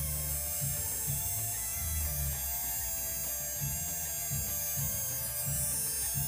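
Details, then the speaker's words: Tamiya Mini 4WD motor being broken in on a fresh, fully charged battery after being sprayed with oil: thin, steady high-pitched whirr. The motor is spinning faster and running freely, as it should. "suaranya sudah mulai kedengeran kan kalau dinamonya itu sudah agak [Musik] kenceng ya mutarnya dari suaranya"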